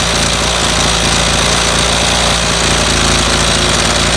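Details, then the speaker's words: 25cc two-stroke string trimmer that stalls after about five minutes, fitted with no fuel filter: loud, buzzy, fast and fairly steady running while the low-speed mixture is adjusted with the throttle held open. No clear misfire. "it's best to do this with two hands to have it to have the throttle going while you're adjusting it"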